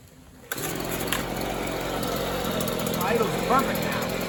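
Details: Neighbor's free Stihl leaf blower that wouldn't run right, after snugging the fitting with its crush washer and before high-speed screw adjustment: small two-stroke catches after a moment and runs unevenly, wavering and sputtering instead of a steady buzz.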